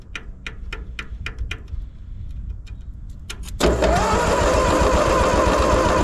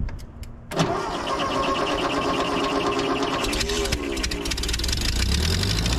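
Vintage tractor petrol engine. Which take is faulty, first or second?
first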